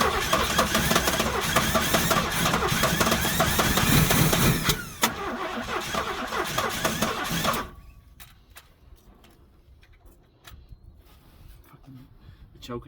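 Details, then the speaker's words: 1968 Buick Wildcat 430 V8 after sitting 10 years, timing advanced to about 30 degrees, choke faulty, throttle held by hand: cranks, runs ragged several seconds, then stumbles and dies with sharp pops; hard start with backfire. "choke is no good. I don't want to hold that with my hand. I only have a fire. I had a fire, but it backfires."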